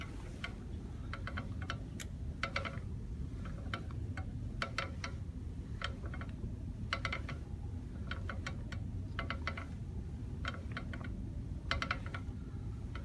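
Clusters of sharp metallic clicks come in uneven bursts over a low road rumble; something loose is rattling at the back brake. Cause suspected, not confirmed.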